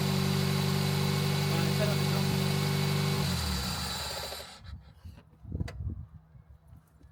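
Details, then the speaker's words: Toyota Yaris SR 1.3 after alternator and drive belt replacement: steady even idle hum with no squeal or chirp for about three seconds, then switched off and winds down cleanly; charging normally; normal idle. "Right, although the car looks far worse now than it did before, it does run, it does charge, so my work here is complete."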